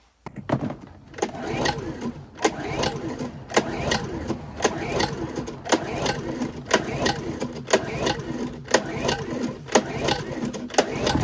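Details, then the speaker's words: Honda EU2000i generator catches after sharp clatters and settles into a smooth, consistent steady idle after carburetor rebuild fixing rough lopey idle; cause was a missing carb O-ring from the factory. "Anyway, as you can hear that generator out there, it's idling good now. It's got a nice, consistent, steady idle, and it was definitely the O-ring that was the issue."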